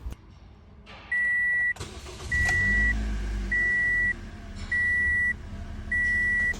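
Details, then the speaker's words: 2008 Toyota Corolla after fuel injector removal and cleaning for misfire and no-start, battery disconnected: cranks briefly, catches cleanly, settles to steady even idle with a repeating chirp; starting and rpm now normal. "जी हां तो दोस्तों देखिए गाड़ी की starting बिल्कुल okay हो गई है आरपीएम् बीएफ बिल्कुल सही है"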